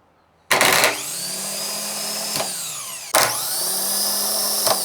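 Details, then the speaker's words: Starter motor on a bench, powered from a 12-volt battery with the solenoid triggered by screwdriver: two sharp engagements, each spinning up to a strong even whir and winding down cleanly; normal starter operation. "That's how a starter is supposed to fire."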